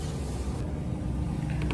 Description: I found that the top bearing had failed and the Auger was grinding against the Evaporator.